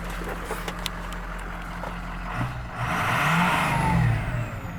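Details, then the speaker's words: 6.0 work truck, still running strong after standpipe replacement in October 2020; settles at idle, then a clean rising rev and back down, smooth and even with no knock or rattle. Healthy revving. "let's do one more that's all i'm gonna do it sounds good though"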